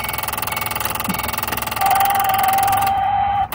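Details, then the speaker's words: 2008 Ford Mustang GT Convertible, key on: when the radio lights up, the in-dash CD changer chatters with rapid dry ticking like a woodpecker or dot-matrix printer, a chime tone over it; a CD changer fault. "when this radio lights up it's got this CD changer issue in there and it literally sounds like a woodpecker is is is getting after it in the dash"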